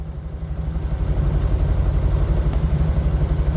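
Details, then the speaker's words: 1972 Triumph 2000 Mk2 with a 2.0L inline six, first start after 20 years, on choke, fuel light on: a low, lumpy idle pulsing about four beats a second. Misfire, not firing on all cylinders; a fueling issue is suspected. "It doesn't sound like it's firing on all cylinders. That's probably the problem."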